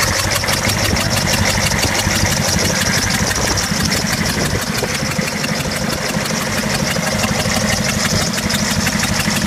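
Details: 6.5 Detroit diesel at idle: loud clatter with an uneven stumble about twice a second breaking the rhythm; a cylinder misfiring.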